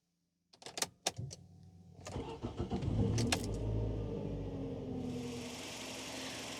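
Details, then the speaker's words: Nissan Primera P12 after exhaust holes were patched with repair putty, idling to heat and dry the putty; before the repair the exhaust was blowy. Brief crank, then a steady quiet idle with no puffing from the exhaust: normal start and idle. "well the exhaust certainly sounds better than it did before the repair before it was quite blowy obviously"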